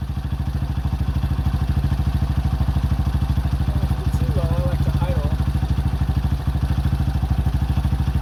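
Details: 2005 Honda CRF150F single, no-start fixed by valve adjustment and carburetor tune-up, during carb adjustment: a crisp, even putter at about 160 beats a minute that stays steady throughout. A healthy idle.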